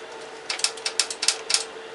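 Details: Late-90s Craftsman LT 1000 mower, 15.5 hp Kohler Command OHV single-cylinder: a few sharp, light clicks over a faint steady hum as the fuel shutoff solenoid in the bottom of the carburetor energizes.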